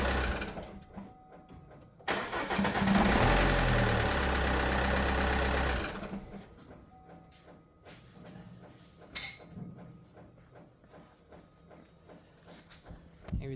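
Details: Opel Insignia diesel (Fiat engine), first start after reassembly for hard starting: short crank, catches straight away and settles into a steady idle; a belt or pulley squeal is also heard.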